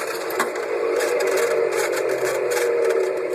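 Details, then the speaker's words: Chevrolet Corvair engine with the cooling fan spun hard by hand, mic close, to tell whether the noise comes from the fan or the generator: rough gritty whirring with a low hum, judged to be a worn cooling fan bearing. "all right so the question was whether the noise was coming out of the fan or the generator and i'm voting for fan"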